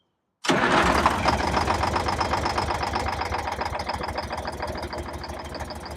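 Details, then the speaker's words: Detroit Diesel 6V92 in MC9 bus, cold start without prewarming: cranks with uneven chuffing about four beats a second, only one or two cylinders firing, won't settle; hard cold start, owner suspects leaking/clogged injectors or stuck piston rings. "it sounds like I don't know maybe one two are firing Oh wanted to you that time let's try it again"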